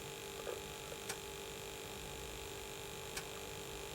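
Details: Early Atari ST (not STFM), after motherboard recap and a TOS 1.04 upgrade with 1 MB, booting and playing games from floppy: a steady buzzing hum under everything with faint clicks on top; cause of the buzz unknown.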